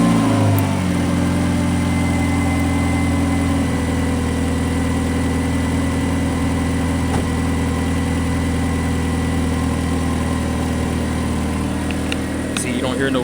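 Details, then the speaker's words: 2013 Dodge Dart 2.0L four-cylinder after spark plug change: smooth, even idle with a steady low hum, no sputter, stumble or hesitation; normal idle. "you don't hear no hesitation. Once you crank it up and you hear it sputtering and jumping, that means your plug is loose."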